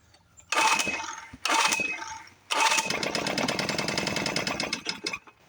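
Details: Neglected small outboard motor, second of three being revived, choke start with fresh plugs, carburetor needle possibly stuck: fires in short bursts, runs ragged and uneven for a few seconds, then dies; rough running and stalling, cause unclear.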